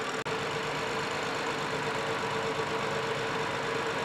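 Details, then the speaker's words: 2015 BMW 7 Series with rebuilt engine after overheating, at idle: steady low rumble with faint uneven knock, going into hard misfire on cylinder 6, scope showing rich, incomplete or no burn; suspected secondary ignition issue, possibly plug, unconfirmed. "right so now the vehicle kind of went into a hard misfire and red is cylinder two blue is uh six still as you can see that swoop kind of came back looks like it's running rich and not burning all the way and sometimes it's not burning at all"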